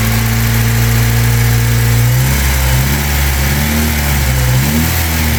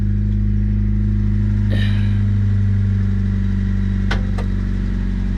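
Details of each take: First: 1997 Honda Civic, 220,000 miles, after oil change following running with only half a quart of oil, which had caused rod knock on revving: engine revs smoothly with no knock now; durability uncertain. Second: 1997 Honda Civic, 220,000 miles, burns oil and was run with only about half a quart in it: dull, uneven bottom-end knock about three a second, faint at idle and clearer when revved; rod knock.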